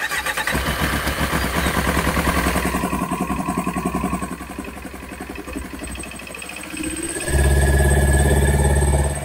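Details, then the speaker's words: Kawasaki ZX9R four-cylinder after carb clean and spark plugs, cold start on choke: cranks and stumbles, catches, then settles into smooth, steady, deeper idle that holds; previously stalled at tickover, now runs healthy. "let's switch the ignition on bit of Choke will anything happen oh getting there little bit more fuel hold on all right there we go"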